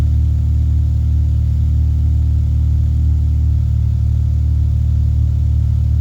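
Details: Ford Mondeo after the engine-bay fusebox harness was rebuilt, which fixed a no-crank fault; the fuel pump primes and the engine starts and settles into a smooth, steady idle with an even low drone and no misfires, knocks or rattles.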